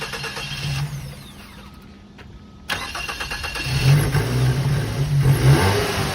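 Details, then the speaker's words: 2006 Mazda 3 at a tow-yard auction on a jump box: after a pause the engine catches at once, gives a couple of revs and settles into a steady idle; starts normally and moved backward and forward. "Started up with a jump. Moved it backward and forward, and that's going to be a look at the car moving forward and backward."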